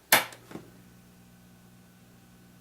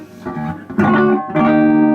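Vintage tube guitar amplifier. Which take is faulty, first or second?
first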